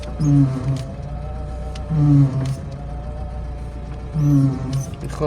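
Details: BMW 3 Series E36 at idle: a low groaning hum swells with each steering-wheel turn, about every two seconds, from the straining power steering pump; possible causes include a slack or worn belt, air in the system, or old or thick fluid, none confirmed.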